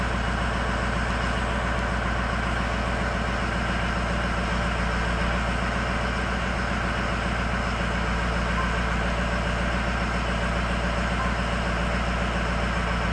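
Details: High idle on an engine with poor cylinder balance, cylinder 8 cut out: steady lopsided thump about twice a second over the drone, like one dead cylinder; misfire on cylinder 8.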